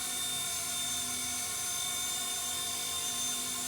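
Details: RC Era C-189 MD500 electric RC helicopter after superglue repair of the tail rotor/motor mount, hovering: even high-pitched whine with steady rotor buzz, no ticking or wobble; flying well after repair.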